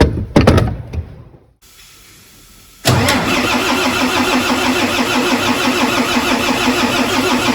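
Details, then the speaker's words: Volvo FH460 D13 diesel truck engine being re-repaired after a failed overhaul 30 km earlier, pistons decarbonized: brief crank, catches cleanly, settles to steady even idle with no knocks or misses; pressure normal; normal start and idle. "Так, запуск произвели, давление там в норме."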